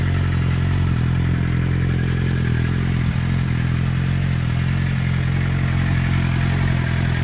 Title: Whining noise and cam chain noise gone